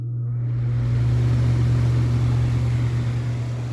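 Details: Mid-1990s Vornado 280SS 10-inch three-speed high-velocity desk fan, front bearing oiled and rear not, started from zero: low steady motor hum with rising air rush as the blades spin up; smooth, even start with no rubbing or rattle.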